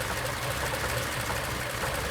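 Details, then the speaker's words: 1941 Ford Super Deluxe Business Coupe flathead, three-speed manual, started in neutral via coil and electric fuel pump: very quiet, soft steady idle with no knocking or tapping; normal idle. "turn on little fuel pump and she's running it's so quiet I never knew that flatheads were so quiet"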